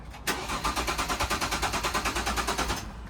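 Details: Jaguar S-Type left in an open carport for six years, about quarter tank of old fuel, alarm disarmed: steady starter cranking, about three turns a second for three seconds, never catches; fuel pump, thought to be under the rear seat, not heard running, crank no start.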